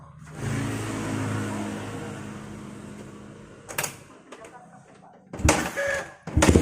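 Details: Yamaha Vixion old motorcycle that would not start with dead charging system, after replacing the faulty regulator/rectifier (kiprok): single-cylinder ticks over with a steady low beat, runs cleanly without stumbling; normal running.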